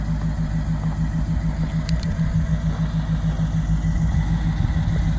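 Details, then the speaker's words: 1938/1939 Ford 2-door hot rod project, flathead V8, first start after years in inside storage, battery charged, converted to 12-volt: steady even low burble about three pulses a second, no knocks or misses; normal idle. "the flat head sounds pretty cool"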